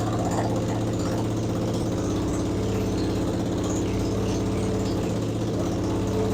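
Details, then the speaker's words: 1977 Yamaha XS650 chopper, first start after revival with plugs, wires, timing and valves done: even settled low thrum, steady beat, no knocks or misses; twin idles smoothly and healthy. "now that sounds good"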